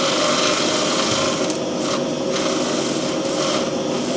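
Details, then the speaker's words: Grinding stone being dressed by winding the diamond into it, on the machine used to resurface a blown-gasket T4 cylinder head: steady gritty high hiss as the diamond skims evenly, then a slight extra cut; normal stone dressing. "what you do see that's dressing the stone there you can hear that if I wind that down very very slightly put another little cut on"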